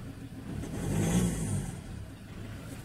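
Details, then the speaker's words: Ford Ranger 2.2L diesel with misfire under load and no fault codes, throttle snapped open while scoping with amp clamps and pulse sensor: revs rise then stumble unevenly near the top; misfire, cause not yet found. "what i'm gonna do is wrap this up a bit and see can i see anything change okay ah there we go when i do that we lose it see the misfire"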